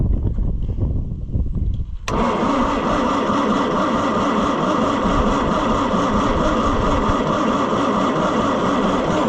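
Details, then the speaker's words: Oliver 550 diesel tractor, second attempt to revive, injection lines loosened to check fuel delivery: starter churns steadily but never catches; no fuel comes through, injection pump stuck. "All right, friends. I've got the injection lines loosened. We are going to crank on it and see if anything comes out of the injection lines today."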